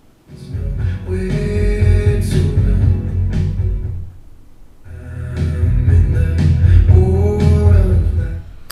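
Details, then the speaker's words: Speaker or audio mixer after cleaning rust from a crackling volume potentiometer: music fades down and back up smoothly with no crackle or dropouts, a clean volume control after repair. "now you got to get Crystal Clear sound and Crystal Clear volume changes"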